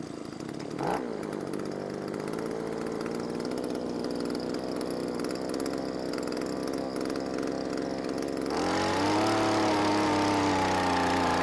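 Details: ALDI Gardenline 26cc hedge trimmer bought 2017, engine likely 1A34F, on half choke: starts and holds a low flat buzz but blips barely lift the pitch. Runs but won't rev.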